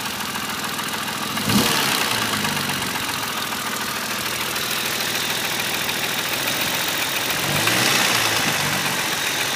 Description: E36 M3 3.0 S50 engine rev sound at low revs. Knocking from around inlet manifold.